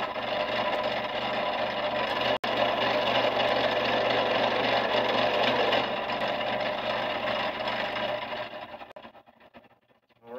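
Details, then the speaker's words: Fret saw (very thin tensioned blade moving rapidly up and down, for wood and thin plastic) switched on by rocker switch and cutting very slowly: steady, fast buzzing chatter from the blade, then winding down to a stop; normal operation. "turn it on and the hold arm moves up and down and that will give you the chance to use the blade"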